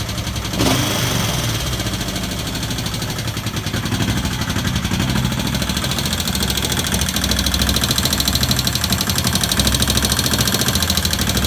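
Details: 1971 Honda CB/CL350 twin running with a quick, light ticking over the engine beat; owner also suspects the throttle may be sticking and asks what causes the tick.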